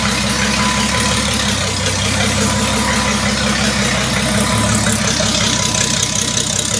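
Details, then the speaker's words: Six-cylinder engine in a rebuild project, previously run to about 90° operating temperature, before head retorque: steady idle with an even beat, no knocks or ticks from the top end; running healthy. "so yeah she runs and uh we are ready to basically take apart everything here The Rocker cover the coils"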